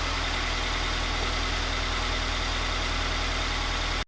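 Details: Freshly installed Megan Racing headers on a 2020 Toyota 86 with a stock mid pipe, probably still with the main cat and resonator: a steady, even idle with a deep, crisp exhaust beat and no ticking or puffing despite one header bolt not fully tight.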